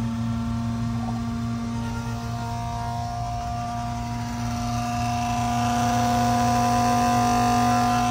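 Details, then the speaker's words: BMW M5/M6/X5M S63TU/S63R, original auxiliary electric water pump running while coolant is topped off before replacement: a steady high whine at one pitch, growing louder. Owner suspected a faulty pump. "Running coolant through here now too, I can hear it. Not sure if it's supposed to do that or not, that loud noise. Maybe like a water pump that's faulty."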